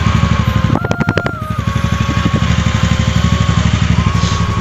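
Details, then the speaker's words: TVS Ntorq BS6 Race Edition/Race XP scooter, two months after sound problem fixed at service centre: even, steady putter with brief rev blip, no rattles or knocks; normal running, no problem returned. "ठीक है, sound सुन लिया, ठीक है। अभी तक कुछ problem नहीं है।"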